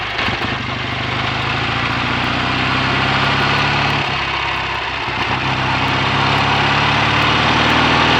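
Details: BSA A65 Thunderbolt twin with Boyer ignition, new plugs, resistor caps and battery, after closing the spark plug gaps to cure an occasional misfire under load: crisp, even idle with a steady beat and no stumbles; normal idle.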